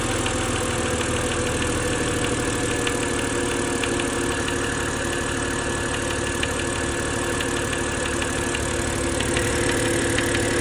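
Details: BMW N52 engine at idle: a light, uneven ticking knock of about three per second over a steady idle; knocking noise, cause not yet identified.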